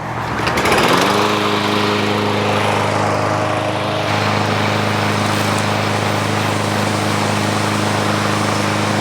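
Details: Free, about one-year-old 2023 Craftsman M110 140cc 21-inch push mower running while being pressure-washed. It settles from a startup surge into a smooth, even run at constant pitch with no misses or knocks; healthy.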